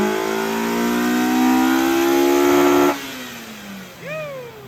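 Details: Mazda Miata (M2 car) with mystery ITB engine on the dyno, second full-throttle pull after about four degrees more timing was added back: clean rising howl to high revs, smooth drop on lift-off, no pinging or knock; same horsepower.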